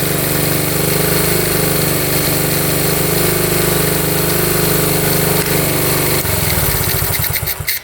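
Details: 1972 Honda CT70 single, bought at auction with a bogging problem, thumps at a steady even fast idle with no misses or rattles after timing set; F mark centred, creeps slightly when revved: normal idle and revving.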